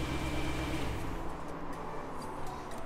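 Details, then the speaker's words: BMW E92 M3 with a cylinder 6 misfire, after fitting a new cheap aftermarket cylinder 6 ignition coil and spark plug: deep idle is still lumpy and stumbles irregularly. The faulty coil keeps the misfire going and later caused limp mode. "That's still lumpy, isn't it?"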